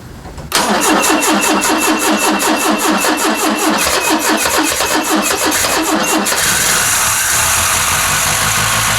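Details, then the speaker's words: 1974 Ford Capri with the 2.0 Pinto engine, sat 15+ years: after clearing mud-wasp nests from the timing cover, it cranks evenly, catches cleanly and idles smoothly. "yippee it's got a key it's got a title it's got an engine that runs"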